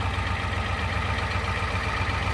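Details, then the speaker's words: 1988 Ford 7.3 IDI diesel just after turbo rebuild and install, started without starting fluid; steady, even idle with regular low clatter and no knocks or misses, slightly smoky, normal idle. "Oh, it sounds good. A little smoky."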